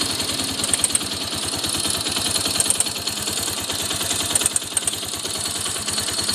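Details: Honda XR200 single-cylinder idling unevenly with a light, quick metallic tick over the putter; owner asks what the problem is, source of the tick not pinned down.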